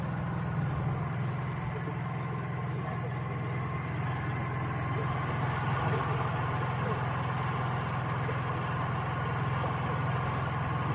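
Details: Honda EU3000is generator in eco mode with cheap aftermarket Huayi carburetor and factory servo: low, steady drone holding perfectly level with no hunting or surging; runs way better.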